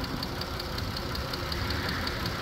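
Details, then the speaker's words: 2014 Dodge Grand Caravan (30th Anniversary base van) at idle: light, fast, regular ticking about five or six a second over a quiet idle, valvetrain-type; owner thinks it common to this motor, cause unconfirmed. "I think that's pretty common that's pretty common on a lot of do I've got a Dodge Dakota actually the same motor um that has the same tick"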